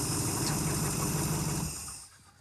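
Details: 1971 Chrysler eight-door airport car after an epoxy repair, warm and not leaking: engine catches and settles into a fairly even idle briefly, then drops away as it shuts off; nothing abnormal stands out.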